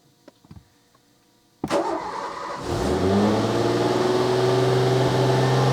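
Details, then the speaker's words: 1987 Renault 25 V6 Turbo started completely cold: catches after a short crank and holds a steady, fast hum with no dip; idle still too high after cleaning a part that had shown no reaction, no improvement. "That's a high idle still. That really didn't seem to do any kind of difference at all."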